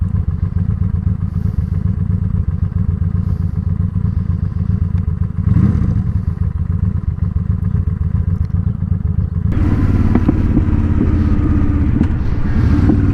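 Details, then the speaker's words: Honda Shadow with Cobra Streetrod Slashdown exhaust at idle: loose lumpy V-twin idle with irregular popping and clatter, then a throttle blip; stock exhaust popped too, carb overdue for tuning and not running right, bigger jets recommended. "if you can hear that popping the old exhaust did that too and I know I've been needing to tune this carb for some time now it just doesn't seem to have been running right"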